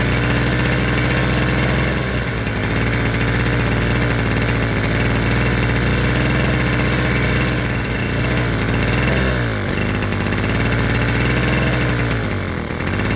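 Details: Mid-1970s Victor two-stroke lawn edger, previously stuck engine, run on fresh premix: settles into a steady, even idle with a constant buzzy beat and no misses or knocks; runs cleanly.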